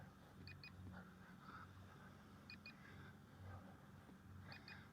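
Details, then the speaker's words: Eachine P-51D Miss Helen brushless 2S RC warbird after landing in a field: paired high beeps about every two seconds over a distant mower, the plane's low-battery warning; can also be triggered by holding a button three seconds to locate it. "can you hear it I can even hear it over the grass cutter over there but that's a little battery beep now again you can make it beep automatically by holding this button down here for 3 seconds"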